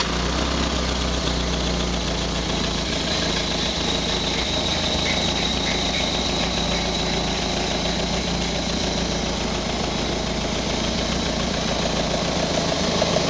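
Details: First start of a prepared Renault Colorale Frégate engine: settles into steady, fairly even idle with low drone, no knocks or misses; running normally.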